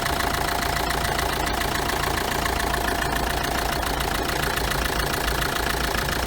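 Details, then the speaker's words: Chevrolet Tracker diesel at idle, hood open, after replacing the ribbed belt pulley and idler pulley that caused a knocking noise: steady even clatter, no squeal, chirp or rumble; noise gone, normal idle. "Olha aí pessoal como é que tá o barulho agora depois do reparo efeito estava nas polias a estriada e essa polia de apoio aqui fiz a substituição e o barulho acabou"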